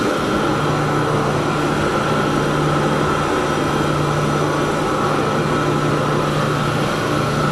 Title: chilled pump motor 75 HP..abnormal sounds inspection...